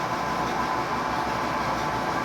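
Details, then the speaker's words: Soft-serve ice cream machine after repair of motors that only hummed and would not run: steady, even whir as the compressor starts and cools and the production motors run normally. "e esse Outro barulho foi o barulho que arrumou o compressor"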